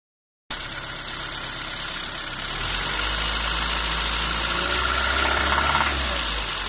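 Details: Renault Twingo 1 phase 2 cold engine at idle: fast, fairly even ticking clatter about four per second over the engine; abnormal cold-start noise, cause unclear.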